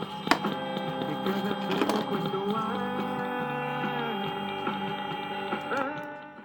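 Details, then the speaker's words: Zenith Transoceanic on a battery eliminator testing solid-state 1L6 tube replacements, tuned to distant AM 660 KTNN at night from Los Angeles: music with a thin, steady high-pitched whine underneath, suspected interference, not confirmed. "you will hear some whining or a high-pitch noise in the background that's this"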